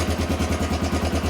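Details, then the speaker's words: 1993 Honda XR250L dual-sport single-cylinder, running again after sitting two years and a battery swap: even, steady thump at idle, about ten beats a second with no stumbles; normal clean idle. "she's been sitting for a while but it looks like we got her all running and I'm just going to button her up now and uh that's it man"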